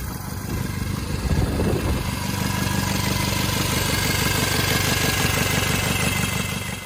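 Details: Cub Cadet 482 tractor, swapped 12.5 hp Briggs opposed twin with rebuilt carb, open exhaust: loud thump at a steady idle with even firing and some clatter on top, sounding like an old 4-cylinder Farmall; healthy, just unmuffled.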